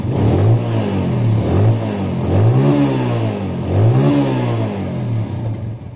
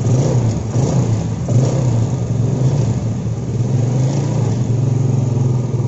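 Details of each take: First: Yamaha Jupiter Z after fixing no idle, hard starting and black plug: single-cylinder thump settles to steady idle, blips rise and fall cleanly; normal idle and revving, now starts with one kick. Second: Yamaha Jupiter Z that won't idle, starts hard and fouls plugs black; revs surge and sag unevenly as petrol from a faulty vacuum fuel tap flows through the vacuum hose into the manifold; rich running from leaking vacuum fuel tap.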